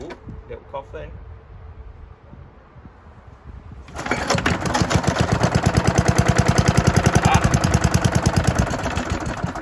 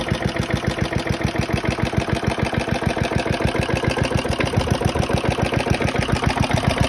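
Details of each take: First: 1972 Hayterette mower, very worn after hundreds of hours cutting a paddock last year, cold start after sitting six to seven months with fresh fuel topped onto old fuel: weak pull-cord tugs, then fires into a fast, uneven putter; hard starting. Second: Very worn 1972 Hayterette mower, hundreds of hours last year, cold start after six-seven months stored on old fuel topped with fresh: strong, regular putter at steady fast pace, no stumbles or dropouts; hard to start but runs strong once going.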